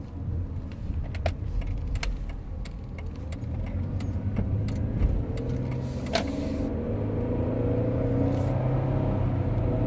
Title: Brakes clicking sound, clicking sound when breaking